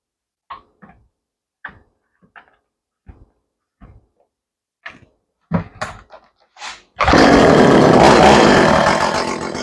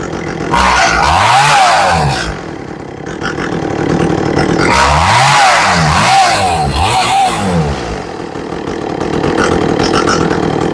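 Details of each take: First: Echo CS400 chainsaw after carburetor tuning with air filter on and chain adjustment, fully reassembled: handling clicks, then a loud, steady high buzz holding evenly; running properly. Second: Echo CS400 chainsaw during carburetor tuning, high-speed screw adjusted: repeated full-throttle runs, about four a minute, climbing and dropping evenly; owner likes the sound.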